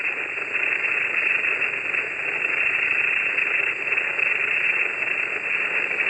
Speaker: But that's noise. It's not bad, but as soon as I unplug it, it goes away.